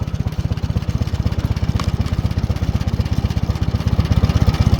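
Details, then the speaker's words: 1940 Farmall H tractor with M&W 9-speed, after carburetor tuning fixed spitting and sputtering: steady, even low chugging idle about four beats a second, running much better. "I'm going to tell you right now this tractor is running 10 times better just sit here it listen to it sit there and idle"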